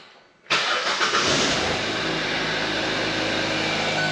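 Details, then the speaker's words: 2017 Hyundai Tucson, high mileage and about 8,000 miles overdue for an oil change, blinking check engine light in engine protection mode; the knock sensor is picking up feedback. Starts at once into a smooth, quiet idle with no audible knock or ticking. "you can tell the engine is actually pretty quiet."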